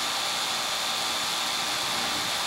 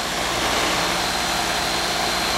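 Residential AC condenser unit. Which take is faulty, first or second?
second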